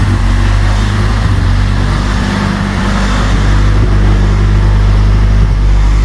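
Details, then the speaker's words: Honda Civic revived after sitting several years, running on the stock ECU instead of a turbo-tune ECU: strong, steady, deep exhaust note with no misses or knocks; sounds healthy. "There we go. She sounds so much happier."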